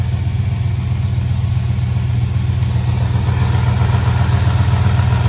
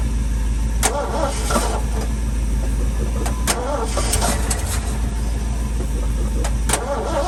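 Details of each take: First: Old truck V8 from a 1976 F350, exhaust-port humps ground off for power, warming on choke and picking up: deep, steady, smooth idle with no misses, knocks or ticks; owner watching temperature gauge. Normal idle. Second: Long-stored sentimental old V8 truck: long, steady starter churn with no firing; fuel has drained far down after sitting, as it always does when stored long.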